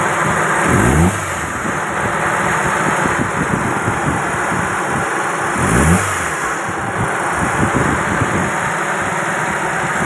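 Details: Proton Wira with a dirty throttle body at low, uneven idle with a couple of short surges a few seconds apart, causing stalling, low RPM and no power; the throttle body is then serviced and cleaned.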